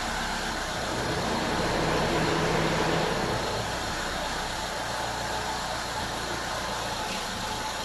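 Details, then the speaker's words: Mitsubishi Lancer after turning the idle speed screw down from about 1020 to the standard 800 RPM: steady idle, constant note, no hunting or stumbling; radiator fan whooshing, probably behind a slight normal dip. "There, so 800 RPM So, now you can see the stability- the sudden drop probably you can hear the radiator fan is working and that is normal."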